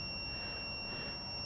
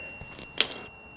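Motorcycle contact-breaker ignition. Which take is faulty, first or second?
first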